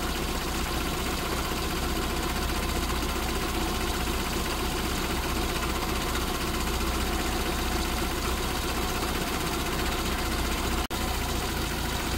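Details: SPI Mini, petrol, engine warm, coolant 77, inlet air 34, idle easing lower, coolant and inlet air sensors working, O2 sensor likely working; steady low rumble, no knocks, misses or hunting; normal warm idle.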